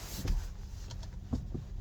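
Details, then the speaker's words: Steering rack knock after a full rack rebuild (all parts replaced except the pressure spring and disc spring washers); dull, irregular knocks, minimal with the rack fully right and loudest with it fully left. Owner suspects the main shaft hits the worm shaft from insufficient preload. "Я так понимаю, это как раз основной вал об червячный вал бьется из-за недостаточного прижима."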